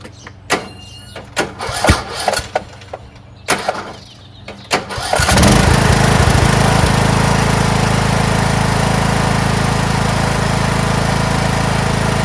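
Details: Craftsman T1600 (MTD-built) lawn tractor, 46" deck, Briggs 19hp, after replacing a blown cylinder head and head gasket: a few clicks and knocks, then the engine catches and holds a steady, even run with no knock or misfire. Normal running under load.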